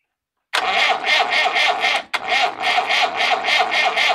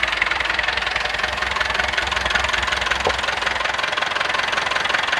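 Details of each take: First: Massey Ferguson 165 diesel tractor after a fuel pump failure dumped the diesel into the crankcase, cranked with two injection lines open for bleeding: sudden start into an uneven, rapid clatter with a brief stumble, then it catches again as air bleeds out. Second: Massey Ferguson MF 165 diesel tractor, cold start on a rainy, windy Swedish autumn day after refilling the fuel tank and bleeding the injection lines; even diesel clatter at steady idle under rain hiss, no misses or knocks, warming up: normal idle.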